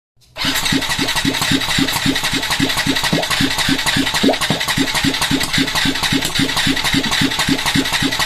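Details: Yamaha Tricity 125 (SEC1J) scooter cranks on starter at an even, light four strokes a second without catching; heavy blow-by, piston and cylinder found badly worn, too little compression to fire, so engine won't start.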